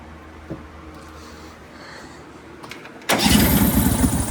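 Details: Brand-new 23hp Briggs & Stratton Vanguard V-twin on a tractor, started after finding a spark-control part touching metal under the cover caused no spark; catches at once and settles into a steady, even run with no misfire, normal start.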